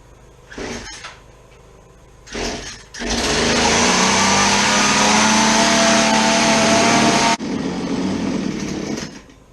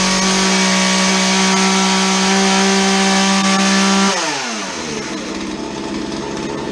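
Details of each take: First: Chainsaw that won't idle, after dumping old fuel: it screams steadily at high revs, then drops to a rough idle and dies within two seconds; the idle speed screw is missing. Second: Chainsaw that would not idle, after dumping old fuel, cleaning and refitting a modified air filter: strong, steady buzz at high revs that drops cleanly to idle without stumbling; running healthy after repair.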